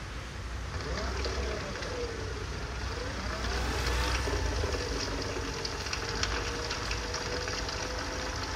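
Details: Bajaj Chetak electric scooter after the noisy rear drive motor was replaced: a faint, smooth motor whine rises and falls with speed over background hiss, with no grinding or rattle. The earlier noise is fully eliminated and the drive motor sounds healthy.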